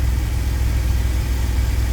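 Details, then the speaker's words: 2000 Chevy Astro V6 idling at about 830 rpm in open loop, with zero misfires on all cylinders; it had an intermittent crank-no-start and stalling, with the crankshaft position sensor suspected via the scan tool. Low, steady, even hum with no stumble. "Engine is running about 830 RPMs. Let's see if there's any orange or red."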